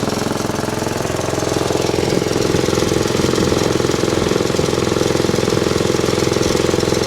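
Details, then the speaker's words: Bush Hog D4-10 diesel tractor after a round of repairs: it starts right up and runs with a crisp, very even diesel clatter, about 214 beats a minute, with no belt squeal this time. Normal running. "started right up this time no squealing of the bow"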